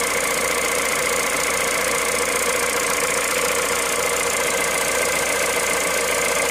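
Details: Cold engine at idle, 65,000 km, 0W30 Total Ineo ECS oil: light, uneven ticking clatter about two per second; cold-start noise of unknown cause.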